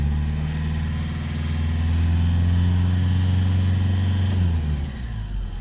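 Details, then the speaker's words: Lexus IS220d diesel in limp mode, foot flat in second gear, topping out around 30–31 mph: flat, steady drone with no pull or rise in revs. Owner expects the common EGR fault before scanning. "Top speed was 31 m an hour and there is no power. So let's get it plugged in, find out what's going on."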